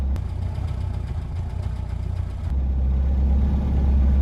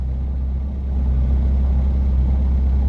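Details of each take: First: Reliant Robin three-wheeler idling after return from the garage: low, lumpy idle with wandering, surging beat, though described as idling much better than before. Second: Reliant Robin three-wheeler, back from the garage: low, even idle with no misses, surges or knocks, much smoother than before the repair.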